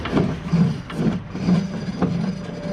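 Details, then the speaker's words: Craftsman T110 mower deck, spun by hand with belt tension released: a low, rough roar swelling with each spin, about twice a second; one spindle bearing is worn out, while the other spindle and pulleys seem fine. "got a nice roar to it so this specific spindle is done"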